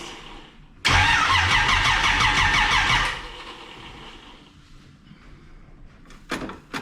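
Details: Camaro with distributor cap, new battery and old plug wires fitted while ignition timing is set by rotating the distributor, in a dark garage: fires and runs rough with uneven pulses for about two seconds, then dies; timing still incorrect.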